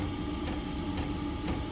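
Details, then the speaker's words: Diesel heater newly fitted in a shed, heard at the exhaust while being turned up; steady fan hum with soft fuel-pump tick about twice a second, louder as setting rises; normal running. "there's the exhaust as you can hear as supp is no more than like a house one that's pumping out obviously the more you turn it up the louder it gets"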